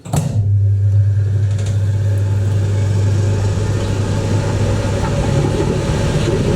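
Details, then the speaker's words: 1980s Ariston by Colston Electronic 3000 spin dryer, auto pump version, with towels, lid held: steady low hum rises as the drum spins up toward 3,000 rpm, even and smooth, no knocking; normal spin-up. "Hold this here and see if we can capture how fast this is when it ramps up. Ready? You want to see 3,000 RPM? Here we go."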